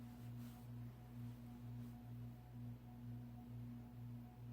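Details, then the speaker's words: Codep 48-inch cast iron spinner ceiling fan on a Casablanca speed control at medium speed: steady low cyclic hum pulsing about twice a second, no rattle or scrape; normal healthy sound, earlier vibration traced to the canopy. "That's not what it normally sounds like. That's what it normally sounds like, just a regular cyclic hum. It's actually loud enough that you can actually hear the hum upstairs."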